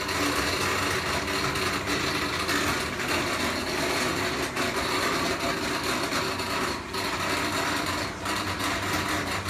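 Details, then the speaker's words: LG WT7100CW washer during drain: harsh, continuous rasping grind with no rhythm; owner suspects a bad drain pump, cause unconfirmed; noise while draining. "draining. I can hear the water here. Ooh, you hear it? Sounds like a bad pump."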